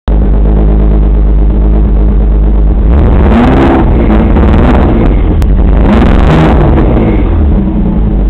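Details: Engine with deep, uneven, lumpy stumbling idle that never settles; passenger bank suspected to be running lean, not confirmed.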